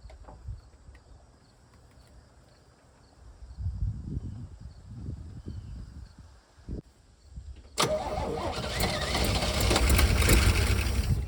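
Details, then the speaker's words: 1955 Chevy 6400 2-ton dump truck (owner thinks 1956–57) being revived, with gas poured into the intake: slow, labored cranking, then it catches and roars roughly for seconds but won't keep running. The distributor is still loose. "Oh! We're so close. So close. Distributor's still loose."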